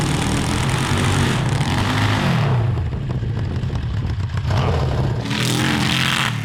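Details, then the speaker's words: Honda CB750 750cc cross kart on stock carburetors with drilled emulsion tubes, warmed up: revs climb then note turns ragged and stumbles at high throttle under load above 7,000 rpm; jetting change made it worse, butterflies won't fully shut. "i'm wondering if there's a problem with the carburetors themselves because i couldn't get all the butterflies completely shut"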